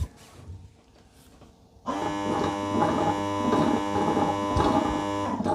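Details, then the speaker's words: Eufy robot vacuum-mop base station washing mop pads: after a quiet moment a pump kicks in with steady electric hum and faint rhythmic pulsing, pumps pushing water down and sucking it into the dirty water tank; normal pump operation. "And again, you'll hear a series of pumps pumping water down and then another pump sucking the water up into the dirty water tank."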